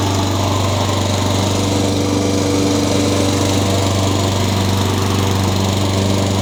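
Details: Honda GCV160 (owner thinks) single on a Craftsman mower, after new carburetor cured surging and new blade replaced an out-of-balance one: steady, even drone with no wobble, thumping or surging; runs smooth now the blade is balanced.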